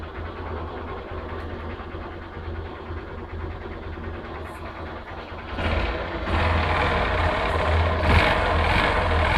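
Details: 2010 Honda Fan 125 single at idle: a steady tapping of about three knocks a second that grows louder as revs rise. The source is still unknown and the mechanic plans to check further.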